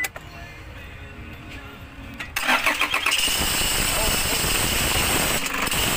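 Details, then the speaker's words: Toyota Hiace 2KD diesel with weak charging: start then idle with harsh high-pitched rattling rush; when noisy charging drops to 12 V, about 13 V when quiet; alternator clutch pulley targeted as cause. "yung maingay talaga 12 Aha ang target na titingnan natin dito alternator clutch pulley"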